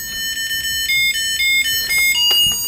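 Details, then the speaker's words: TomyTronic 3D Thundering Turbo handheld game, after cleaning the battery terminal: clear bright beeping start-up melody with short even notes, no crackle or dropouts; game now working. "oh that's promising we had a beep okay"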